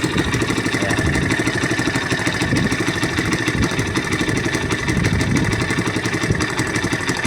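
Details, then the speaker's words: Honda XR200 after a carburetor fix and idle adjustment, formerly hard to start without choke: popping, uneven idle with a raspy, sputtering note at every firing pulse; exhaust leak from a holed muffler. "butas yung kamutso. Pangit ng ano tunog. Ayan parting dito sa ano kaya pangit yung tunog."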